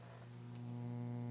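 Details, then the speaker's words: Pioneer SX-750 receiver, previously power-washed, filter capacitors already ruled out: after the relay engages, a low constant droning AC hum from the speakers with no music; fault suspected in the power supply. "let's go ahead and turn this on and I will show you that we've got some humming coming from the speakers"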